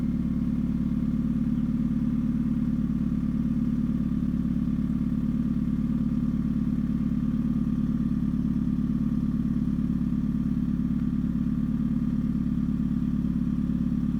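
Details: 2013 Hyundai Genesis Coupe 2.0 automatic idling with a fine, buzzy rattle over a low hum; source unknown, owner suspects the engine, the engine mounts, or the exhaust hanging too low and rattling.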